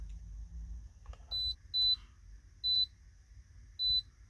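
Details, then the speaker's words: Honda K24-swapped AE86 Toyota Corolla, basic handheld scanner reading codes: four short high-pitched electronic beeps spaced irregularly in a quiet setting, no engine sound; scan tool beeps. "sounds like when you use an atm yeah it does what's your pin brodie never mind"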